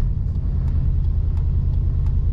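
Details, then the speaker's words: 2002 Dodge Durango 4.6 L V8, replacement ECU fitted: deep raised idle around 1500 rpm, flaring higher before settling, with an uneven loping rumble and no knock. "I do know it's revving up high because it should not be at no 1500 RPM it should not go up to 23,000 RPM then idle back down"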